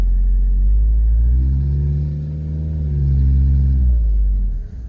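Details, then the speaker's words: Toyota HiAce 3-litre non-turbo diesel automatic on a road test after timing belt, water pump and hydraulic alternator replacement: pulls up smoothly with an even, deep note, no knocks or rattles, peppy and healthy. "feels peppy Wow it's got some zip it's not expecting that"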